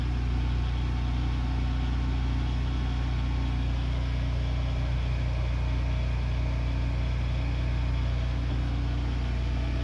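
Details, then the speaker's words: Predator 8750-watt Harbor Freight generator after carburetor replacement to fix a no-start, started on choke with electric start: steady, even low thump with no misses or surging, running cleanly and much quieter. "Yeah, sounds good. Sounds quieter. Got electric start too. God, it sounds so much quieter."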